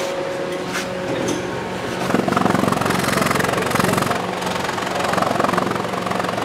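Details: Toyota Corolla 1.8 petrol idling then blipped lightly: uneven stumbling pulse, a light misfire from poorly flowing injectors.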